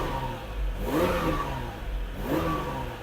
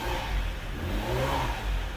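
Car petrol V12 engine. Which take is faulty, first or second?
second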